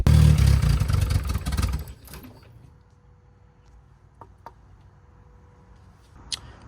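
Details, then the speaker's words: Turbo Honda Civic (about 400 hp) on E85 after sitting for months: catches and runs rough about two seconds, then dies; starts but won't keep running. Owner suspects the fuel pressure regulator, plans to refit old AEM one. "Well, she just died. So, well, now let's figure out that issue though. So, she started. That's That's great."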